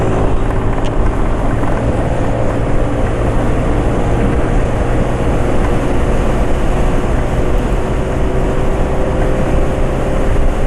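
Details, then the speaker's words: Scooter engine after changing to Ultraline 2T side oil used as engine oil, about 40 km on it, cloudy weather: steady even drone, smooth vibration, rpm not dropping quickly, running normally. "Oh ya untuk suara mesin masih enggak Parah ya esak-asaknya untuk getaran mesin e masih halus"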